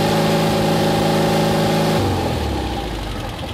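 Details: Porsche 356C engine at high revs during ignition timing check, advance about 35–37 degrees: steady, even high revs with a clean exhaust note, dropping back smoothly; sounds healthy and well timed.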